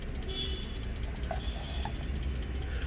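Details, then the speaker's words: Maruti Gypsy hazard lights after fitting LED indicator bulbs on the old flasher relay. Quiet, very rapid even ticking, about six clicks a second with no interval between flashes: the relay is hyper flashing because of the low-draw LED bulbs. "It just makes this sound because the flashing is happening so fast that there is just no interval in between each flash, and that's how the relay is going to sound."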